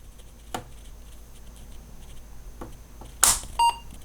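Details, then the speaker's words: Apple IIe Platinum powered on after installing ReActiveMicro Universal PSU Kit replacing the dead power supply; switch click, then one short clean mid-pitch beep with red power LED; normal power-on. "Nice. Got the beep and the red LED."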